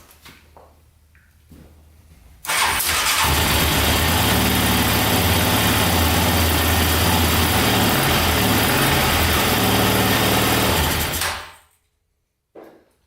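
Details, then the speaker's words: Yamaha Raptor 700 that had sat about 13 years, possibly with no coolant. Quick crank, then it catches instantly and holds a steady, even idle for about nine seconds. Smoke came from oil put in the cylinder. Running properly. "But yeah, she runs pretty good. It was just smoking because of the oil and stuff I put in the cylinder, but yeah, that sounded pretty good. Started right up instantly."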